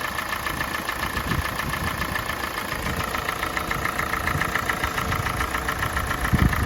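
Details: Kia Sportage 4G 2017, G4NA engine, 265,500 km, idle during warm-up with oil level normal: once rpm drops, a steady light tapping of about three to four knocks a second appears that was absent at start. Owner says it is unlike piston knock and its origin is unknown.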